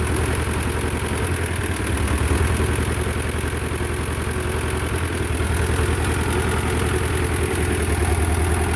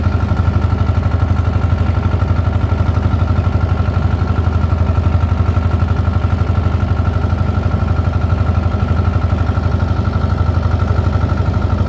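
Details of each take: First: Belarus 250 tractor, two-cylinder air-cooled diesel that sat for years, at about 3/4 throttle: a heavy low, uneven chug wandering around three beats a second; it only runs near full throttle, from fuel starvation by debris in the lift pump valves. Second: Belarus 250 tractor, 2-cylinder air-cooled diesel, sat for years, running again; deep steady chug about four beats per second, no misses; normal running after repair.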